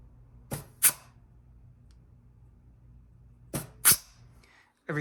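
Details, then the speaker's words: GM 4L60E rebuild, bench air check of the forward clutch: two sharp air blasts, each with a firm clunk and no trailing leak hiss, so the piston applies positively. "now you will hear some hissing coming out of this bleed hole uh this is designed to bleed off excess pressure when uh you're in first and second gear so that there's no centrifugal apply"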